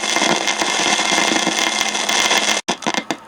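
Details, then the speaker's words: Receiver audio monitored on the AGC line with an Eico 147A signal tracer: steady crackling hiss with irregular pops, then sudden dropouts. The noise comes from the AGC circuit, likely a broken capacitor lead or a failing component. "that is where noise is coming from so there's something in the AGC circuit is either a broken lead on capacitor or you know a component faing but that is definitely something on the AGC that's causing this aaic noise"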